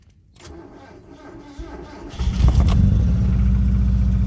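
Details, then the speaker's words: Mazda Protege with BP engine: cranks and catches into an uneven, lumpy, stumbling idle. Cylinder 4 is not firing because of a burnt valve caused by loose rings on that cylinder. "end up burning the valve on someone for because of loose rings on that particular cylinder"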